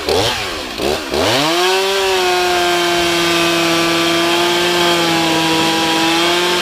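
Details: Stihl MS311 chainsaw rebuilt with a Chinese piston and honed cylinder after burning up, test run on half choke start: two quick blips, then climbs to a clean, steady high rev held evenly without bogging or stumbling; normal idle and revving.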